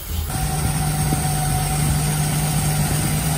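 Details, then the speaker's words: 1946 Dodge pickup barn find after gapping the points and a new condenser, run briefly with no coolant; steady smooth hum without misses or knocks but sitting at a fast idle; runs really well, idle still needs turning down. "now I don't want to run it for too long because I don't have any coolant in it but it sounds like it runs really well and I gotta figure out how to get the idol turned down"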